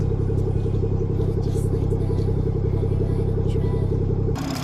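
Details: 2017 BMW 440i xDrive B58 Gen 1, six-speed manual, cold start after PCV diaphragm and valve cover replacement and a body reset, with some smoke. A deep, steady, even idle with no tick, miss or whistle; it sounds healthy.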